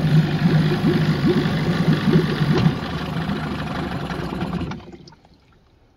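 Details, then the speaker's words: 15 hp Evinrude two-stroke outboard, short shaft, tiller, manual shift, pull start, on test tank: runs roughly, drops to weak idle and dies; won't idle, suspected carburetor fuel issue. "Now the water pump's cruising, we'll let it cool down, and then we'll confirm no idle."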